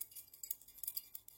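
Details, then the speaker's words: Philips TLD 18W/16 yellow T8 fluorescent tube, apparently from 2002, that took a hard knock (pins and base pushed in): shaking it gives glassy clinks and irregular tinkling rattles; likely something loose inside. "Vous entendez? Je sais pas si ce qui traîne à l'intérieur, mais il a pris un sale coup."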